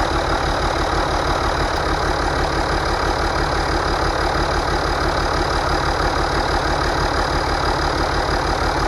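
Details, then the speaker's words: Rebuilt International DT466 diesel from a loader, previously knocking, test run: steady, regular diesel clatter at a smooth idle, about three beats a second, no knocking; healthy. "it runs good uh so far we're going to do some other maybe adjustments and a few other things"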